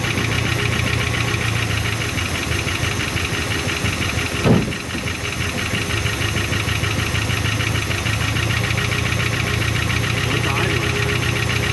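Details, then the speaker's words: 1975 Chrysler Cordoba V8 first run after long storage, fed from a bottle with the fuel pump bypassed, carburetor leaking fuel; even idle with a light fast tick following engine speed. Suspected exhaust leak. Ticking at idle. "Sounds like [Music] an exhaust leak somewhere. Odd sound. Motor is a little sticky, but not not horrendous."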